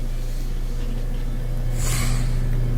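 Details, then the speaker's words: Kenmore washer/dryer combination dryer after refitting a slipped-off drive belt: low, steady motor hum with the tumbler turning smoothly and no slapping or squeal; the belt is driving the drum normally. "it screws back in your power turned on press it to start it and I can hear it spinning"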